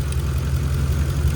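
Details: 2011 Ram 1500 5.7 Hemi 4x4 idling on a temporary jumper bypassing the failed fuel pump relay inside the TIPM, after crank-no-start: deep steady V8 burble, even low rumble, no knocks or misses; normal idle.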